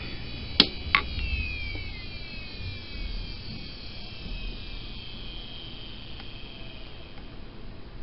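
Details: Old 10 GB hard drive from an early-2000s Dell OptiPlex, worn but tested working: a couple of soft head clicks, then a smooth high whine gliding slowly down with no grinding or scraping; normal running.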